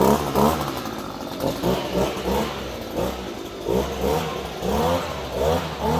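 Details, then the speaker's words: Echo PB-250 two-stroke leaf blower with new replacement carburetor, cold after starting on choke: runs unevenly, surging and sagging about once a second, a slight bog expected until warm; uneven running during warm-up. "It might be a little boggy at first as it warms up and gets everything going through here, so don't be surprised if that's the case, just for a couple of moments as you get it going."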